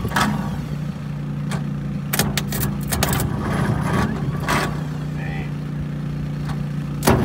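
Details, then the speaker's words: TD25 dozer diesel cranking after 20 years of sitting, a steady low starter drone with uneven compression pulses and some clatter; compression heard, engine getting fuel. "Well, I heard the compression. You could hear it make a pressure."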